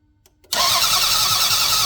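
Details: Toyota Highlander 3.0 1MZ V6 after head gasket replacement: starter spins engine at even pace but it never catches; crank no start, scanner later shows no error codes.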